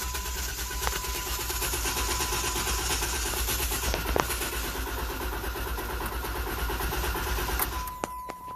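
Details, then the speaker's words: 2016 Jeep Wrangler Unlimited V6 with check-engine light and misfires on a couple cylinders (shop said low compression): clear-flood cranking, throttle floored to disable injectors, steady even rhythm, no cylinder sounds weak, compression appears even. "it sounds pretty even to me so it sounds pretty even if there was a really bad or zero"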